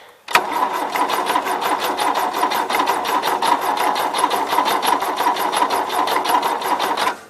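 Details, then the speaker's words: 1977 Gravely GMT 900 cranking on a jump box, about four to five compressions a second, never catching. There is spark at the coil but none through the distributor, suspected bad contact between rotor and cap, to be cleaned with sandpaper. "but I got spark at the coil so that tells me I got a bag contact between the rotor button and the distributor cap"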